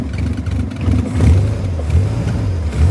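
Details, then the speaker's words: 1979 MG Midget 1500 restarted after head gasket replacement, possibly too much choke: deep even note swelling with throttle blips and settling without misses; runs smoothly though smoking and stalling. "God, the engine runs so smoothly."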